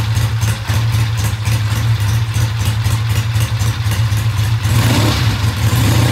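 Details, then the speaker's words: Original-paint 1966 twin settles into a deep, steady thump at about four beats a second, then picks up briefly; idle is clean, and the bike starts, runs well and the oil checks good. "okay at this point the bike starts runs sounds great oils all check out good"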